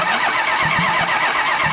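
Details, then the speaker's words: 1968 Plymouth Road Runner with a 440 (block tag suggests about 1978, truck or motorhome origin), no headers or manifolds: even, steady starter churn turning the engine over without firing to build oil pressure; oil seen coming up the tube. "so man let's cranking another minute here oh I can see you see oil coming up the tube"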